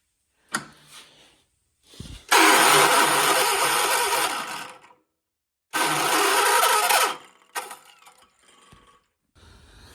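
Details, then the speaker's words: 1976 John Deere 300 tractor with a starter in a bind (owner rocks the engine to free it): two long cranking bursts that churn without ever catching, and the engine won't fire. Hard start with prolonged cranking, possibly a dragging starter. "What the heck? My John Deere won't start today. What is going on?"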